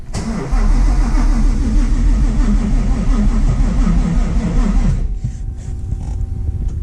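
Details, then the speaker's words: Widebody Fox Body with built, cammed Coyote V8, ported Boss 302 heads and Whipple supercharger, first start after 3 years: at about 40 psi fuel pressure it fires then runs lumpy, uneven and poppy before dying; owner suspects it needs more fuel, battery weak. "okay so now it's got like 40 lbs it sounds very poppy which I'm worried"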